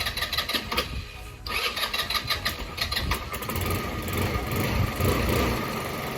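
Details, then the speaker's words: Lexmoto FMS 125 single-cylinder after valve clearances set, new spark plug and clean-up, repeat start test: starter whirs briefly, catches with quick pops with a little throttle, settles to steady idle; starts fine. "I needed a little bit of throttle, but that was not it."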